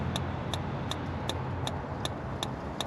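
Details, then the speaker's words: Travel trailer electric/propane fridge switched to propane during dewinterizing: sharp even clicks two to three per second over a low hum, the igniter sparking normally to light the propane burner. "If you have an electric propane fridge, first turn it on to propane and see if it ignites. You'll hear a clicking sound."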